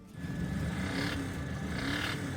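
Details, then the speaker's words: Car whose owner says it sounds like a truck: deep, booming rumble swelling as revved twice, far louder than stock; exhaust leak or damaged muffler suspected. "Customer states, "My car sounds like a truck. Please advise."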